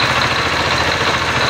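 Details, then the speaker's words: XL100 BS6 after clutch-side repair of a broken part and worn teeth that caused engine noise: quick, even single-cylinder putter, crisp exhaust, no rattle or clatter; idling cleanly. "अब देखिए आवाज एकदम सही है। यह बहुत अच्छा है। भाई।"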